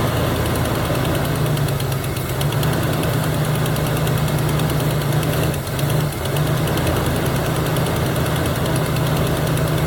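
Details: 1977 Chevy Camaro 305 V8 parked nearly 20 years, restarted after refilling the carburetor float bowl: steady, even low rumble at idle with no misses or knocks over ten seconds; running smoothly.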